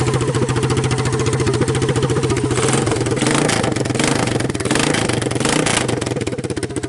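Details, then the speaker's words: Honda TRX200SX single-cylinder ATV engine in an EZGO golf cart, after fitting a new custom exhaust: loud, fast thump rising with a couple of blips and some exhaust popping; running normally. "That's the after. Kind of pops it off, but that's what it sounds like after."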